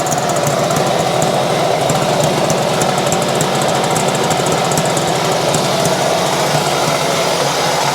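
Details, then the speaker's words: 1970 Yamaha HS1 90cc two-stroke twin, on choke with leaking oil pump: steady high-pitched buzz with harsh rattling clatter; rough noisy running, crank bearings suspected, not confirmed. "now guys I tell you it just it sounds bad so there's no use sitting here running it and it could you know end up destroying something else"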